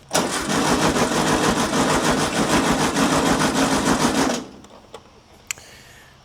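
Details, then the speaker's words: 1960s air-cooled VW dune buggy, sat over 10 years: about four seconds of even starter cranking via a remote starter button, never fires. Coil gets power but gives no spark; coil suspected bad. "So, we're we're getting power to the coil, but we're not getting any spark coming out of here."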